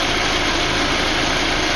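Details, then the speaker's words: BMW idling after warming to 205°F with a new cooling fan switch installed: steady even rush of air from the electric fan, switching off and on as connector is unplugged; normal fan operation, old switch caused overheating. "the fan turned on what I'll do is disconnect this you can hear the fan turn off and the fan turned back on"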